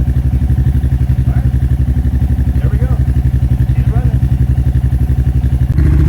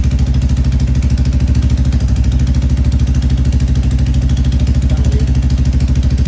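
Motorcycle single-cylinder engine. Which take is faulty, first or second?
second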